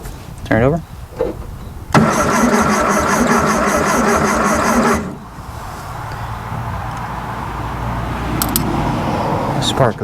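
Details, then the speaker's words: 1974 VW Thing engine, not run since about 1989: steady starter churn, about three compression beats a second, never catches; cranking with no spark, points to be cleaned. "go ahead and turn it over yeah no spark at the clean the points again"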